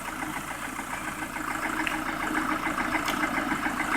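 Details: Lada Priora after bent-valve repair, piston group replaced with 124 parts, ~3000 km later; warm idle, steady light knock about three per second over engine note, present cold and warm to ~70°; owner unsure whether piston or hydraulic lifters; oil changed Lukoil 10W-40 to ZIC 10W-40 seemed quieter.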